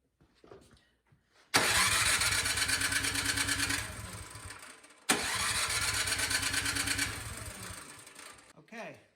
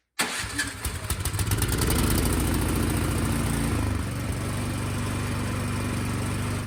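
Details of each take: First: Craftsman snow blower, recoil start, starting fluid sprayed into the carburetor with the cover removed: two pulls spin it over with quick puffing compression strokes but it never fires and coasts to a stop; crank no start caused by a fouled spark plug. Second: Craftsman snowblower after replacing a fouled spark plug (new plug gave spark, so the coil is good): a quick pull catches at once and settles into a steady, even single-cylinder idle with no misses; it now starts and runs properly.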